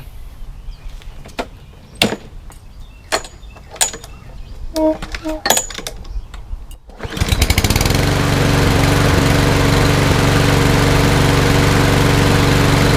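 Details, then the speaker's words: Toro Recycler mower, Briggs & Stratton EX OHV engine, after flushing water from gas tank and carburetor and replacing the air filter: a few clicks, then fires and settles into a steady, even single-cylinder drone, no misses; runs good. "foreign runs good so that's a wrap"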